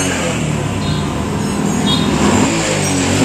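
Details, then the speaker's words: Honda Supra X 125 motorcycle that died suddenly after refueling with bad, kerosene-like petrol now starts and idles steadily and evenly with no stumbles, though it still feels weak. "Nah selanjutnya kita coba untuk menghidupkannya ya Bro Alhamdulillah motor ini hidup"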